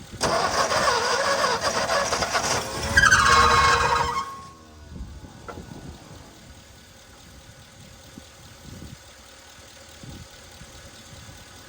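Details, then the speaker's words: 1961 Mercury Meteor, 37,000 miles, parked 43 years, cranked on a jump start: about four seconds of heavy, dragging cranking with a high squeal, fan belt stuck in the pulleys; seized water pump loading the belt, belt then cut. "Yeah, that belt wasn't even turning. It was stuck in the pulleys. Generator is turning though. But all water pumps locked up. That's what it is."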